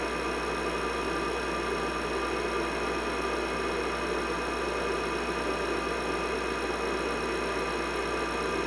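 Steady, even hum with fan whoosh and fixed tones, no clicks, grinding or wavering; the old desktop is running normally.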